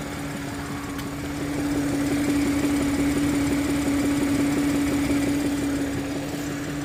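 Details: 2015 Audi A8 engine idling warm with a steady light knock near three taps a second, occurring only when warm; cause unknown.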